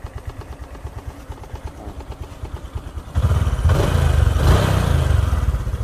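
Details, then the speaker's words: Honda Future 125 at 33,000 km, weak to ride: a steady idle with an even light clatter in time with the engine, louder when revved. The rubber on the cam chain tensioner wheel is likely worn off; the tensioner is to be replaced. "theo kinh nghiệm của mình là nó mới bị tróc cái cao su của cái bánh tăng sinh cam thôi"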